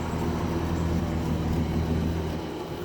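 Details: Barn-find 1971 Chevrolet Chevelle straight six with three-speed column shift, hood up: steady, even low rumble with a smooth, regular firing beat and no knocks or misses; healthy normal idle.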